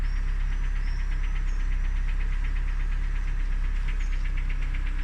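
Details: Steady idle hum with a sharp regular ticking knock several times a second; owner asks what this engine knock could be, source unclear.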